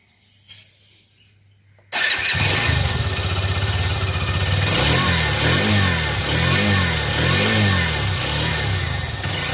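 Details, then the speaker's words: New Hero XRM 125 single-cylinder bike with an oil pump complaint: starts instantly, then settles into an even, steady putter with no knocks or rattles, idling around 1300-1400 rpm; normal idle. "ஐயா இது கொஞ்சம் கொஞ்சம் 1400 1300ஆpஎம் தான் இருக்கும்."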